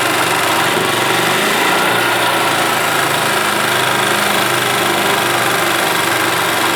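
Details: 1991 Yamaha G8 gas golf cart engine after carburetor cleaned of junk and worn-out fuel pump replaced; small single-cylinder holds a steady, even idle with light buzzy tone and no misses or knocks: runs as it should.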